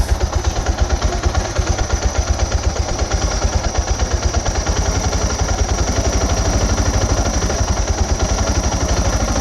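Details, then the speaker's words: 2006 Suzuki DR650 with FMF header, Lex slip-on, drilled airbox and carb slide, adjusting the carb screw: low, slightly uneven single-cylinder idle with faint stumbles, starting to hesitate. "Kind of starting to hesitate there, ain't it? Yeah. So that was 2 turns out from the hesitation."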